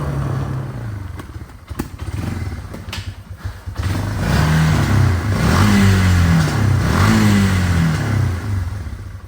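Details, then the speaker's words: 2001 Yamaha BearTracker 250, sat a couple of years: single-cylinder revs unevenly and won't hold a steady note, surging between blips. Vacuum leak at the intake boot, temporarily fixed with duct tape before a new boot. "Yeah, you can definitely tell that's a vacuum leak."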